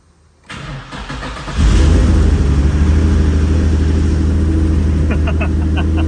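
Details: First start-up of a high-mileage Infiniti G35 after a twin-turbo install on a base map tune, 91 fuel, new return-style fuel system with pressure regulator: brief crank, catches cleanly, flares and settles into a strong, even idle with no misses; healthy.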